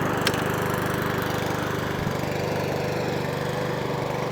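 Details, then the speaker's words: Mountfield HP41 lawnmower after full carburetor service with jet slightly reamed, running on choke: small single-cylinder engine chuffing at a steady even beat, no surging or hunting; previously had a very slight hunt and surge. "So, we let it run for 5 minutes, but I'm convinced it's already sounding better already."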